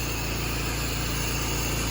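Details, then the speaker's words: Roof-cleaning pressure-washer rig, engine-driven pump heard running steady with a regular low pulse, no surging; after bypassing the hose reel with 200 ft of hose to the brass block, injector pulls soap strongly, proportioner bypassed. Normal injector draw. "So I guess next test for me is to redo the draw test and everything else, because this thing is sucking like crazy now. I can hear it in the background. So I know it's working."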